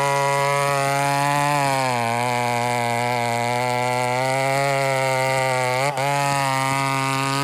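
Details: Chainsaw at full throttle with the high-speed jet set at one turn out: clean, steady high-pitched scream that holds its speed, dipping only briefly once; running strong and healthy, normal full-throttle running.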